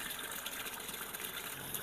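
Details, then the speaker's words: Sanyo washing machine with no clock display: steady gushing water flow with no pause or cutoff, tub nearly full yet still filling and not washing; inlet never shuts off. "पानी की टंकी लगभग भर चुकी है लेकिन machine अभी भी पानी नहीं धो रही है या बंद नहीं कर रही है"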